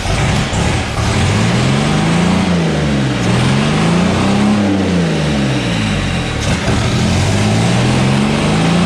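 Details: 1962 GMC 2-ton truck 305 V6, about 50 years old, salvaged from scrapping: fires up and revs in smooth rising and falling sweeps, no knocks or misses; runs healthy, though likely needs starter, accelerator pump, carb rebuild, plugs and wires.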